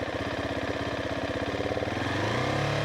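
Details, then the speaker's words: Husqvarna 701 Supermoto single-cylinder revving: pulses quicken smoothly and pitch climbs evenly, and the valve-like tapping heard at idle disappears and the engine steadies; normal. "Now the noise on the valve kind of disappeared, and that's more stable."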